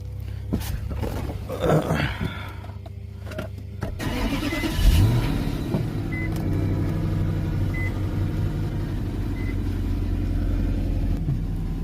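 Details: Infiniti M45, VK45DE V8, first start after replacing both PCV valves and hoses with oil topped off: handling noise and cabin chimes, then it catches and settles into an even, steady warm-up idle with no odd noises.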